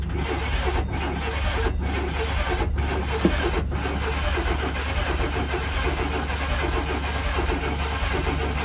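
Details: 1995 GMC/Chevy Blazer/Sonoma Vortec V6, first start after sorting timing issues: catches and settles into a steady, even low rumble with no misfire stumble; timing close but may still need fine tuning; normal running.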